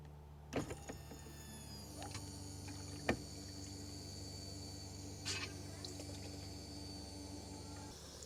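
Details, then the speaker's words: 2001 Jaguar XK8 coupe that has not started in 10 years, engine off, with a new and different fuel pressure regulator fitted and the pump run through a manual fuel relay: steady low pump hum with light clicks as fuel flows straight past the regulator, steadier than before. "can hear the fuel flowing straight past it. Same as the other one does when I turn the fuel relay on like that."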